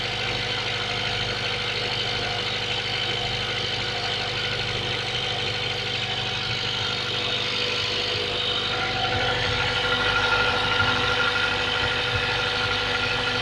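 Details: Mazda 3 1.6 cold start: steady ticking knock about three per second riding over the cold idle, even and persistent; engine knock when cold.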